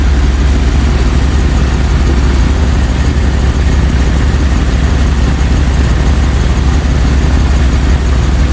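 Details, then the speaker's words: Jeep ZJ Grand Cherokee 5.2 V8 after water pump replacement, coolant and antifreeze just added: warming up at idle, waiting for the thermostat to open to bleed air; deep, steady idle, no knocks, ticks or squeals; healthy. "Waiting for the thermostat to open so we can make sure there's no air left in the system."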